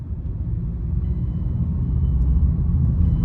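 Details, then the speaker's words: 2009 Mazda 6 on a test drive after replacing a wheel hub bearing that had been grinding and wearing the brake pads unevenly: only a low road rumble building with speed, no grinding; the grinding is gone and the bearing sounds healthy. "oh my goodness that is so much better no noise at all listen to this no grinding no nothing the noise is gone yes well that's what it was was the wheel bearing"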